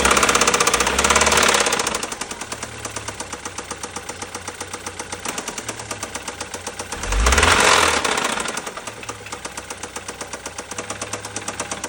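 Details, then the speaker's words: BMW N20 B20 engine: sharp metallic knock about four times a second at idle, hammering harder with each throttle blip; knocking connecting rod. "N 20 B20 слушаем звук стучащего шатуна."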